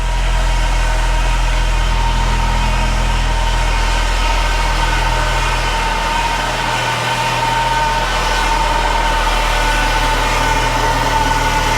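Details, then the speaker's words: Saab 9-3 Turbo, restarted after Liqui Moly 2037 engine flush and oil refill, formerly tapping with low oil pressure: steady idle with thin constant whine over engine note, likely power steering pump with fluid a little low; no rattle, oil pressure light off. "Uh-oh. I hear a power steering whine, but it's not rattling. Oil pressure light is not on."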